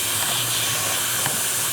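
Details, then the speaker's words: Chrysler/Dodge/Jeep with code P0455 large EVAP leak, rusty Pennsylvania car, under pressure test: steady high hiss of escaping air with a brief scrape of touching; leak found in the corroded metal vent line. "hear it hissing. So this thing was in, I mean, it's a little bit rusty, it's a PA car, but we put the one rear brake line in right to the hose right here, and you can see that the vent line looks just like the brake line did a couple months ago."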